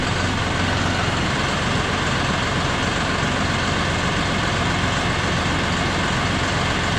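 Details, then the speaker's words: John Deere 5067E diesel tractor with 30 hours, after tightening loose intercooler clamps that leaked boost: loud even diesel rumble with steady beat, no hissing or whistle, running healthy. "Probably won't hear the turbo whistle like we did when it was pulling before, but it's going to have more horsepower, I guarantee it, because it's going to get all the boost."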